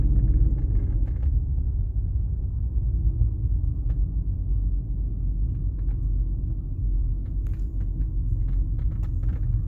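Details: BMW 330Ci idling with a low rumble and a slightly uneven, wavering beat rather than a smooth hum; rough idle.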